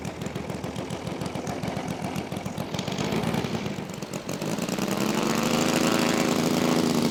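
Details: Saito FG-60R3 3-cylinder radial in a Legend Hobby T-28 Trojan RC plane, taxi test: even firing pulses at idle rising smoothly in pitch as throttle opens; engine running fantastic, normal idle and taxi.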